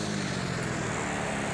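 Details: Older carbureted Yamaha Mio Soul scooter revved high: faint steady whine with a rubbing/friction edge over the engine, a mild final drive (gardan) noise, not severe.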